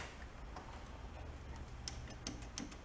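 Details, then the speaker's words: Old rusty VW Bug, abandoned in a wet garage: sharp, uneven clicks over a low hum as the carburetor fuel shutoff solenoid gets 12 V and works; no spark yet. "hear the starter relay clicking? I mean the carburetor fuel shut off clicking."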